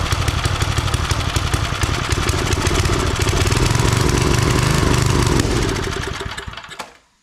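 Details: Old Briggs 5 hp single-cylinder on free homemade wood splitter, loose choke: chugs unevenly with loose, lumpy beat then dies away; only runs on choke, owner suspects carb needs cleaning.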